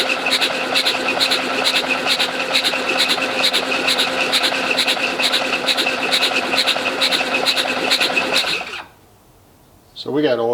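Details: International Harvester Cub Lo-boy tractor, rebuilt C60 engine, cranked to prime oiling system before first start: fast, even starter spin about two turns a second, no compression pulses; cranking freely, oil pump primed.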